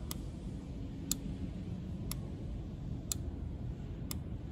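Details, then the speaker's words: Canister purge control valve activated by scan tool active test, ignition on, engine off: crisp even single clicks about once a second; valve cycling normally. "So I need to press a start to activate this valve. So I'm really hoping that you can hear the ticking sound."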